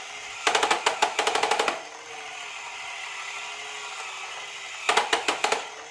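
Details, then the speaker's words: Secondhand pre-assembled Haynes Build Your Own Internal Combustion Engine model kit, known to have a problem, running: thin motor hum with bursts of rapid, uneven clattering clicks that come and go. Abnormal clattering, cause unclear; tensioner later investigated. "It does have a problem, which you will hear when I start it up, but it looks nice."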